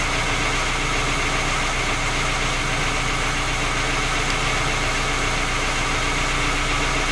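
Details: Skoda Octavia A5 facelift 1.6 MPI at rough cold idle: fast, uneven tapping with steady hiss behind; three engine repairs found no fault, engine still knocks, source unknown.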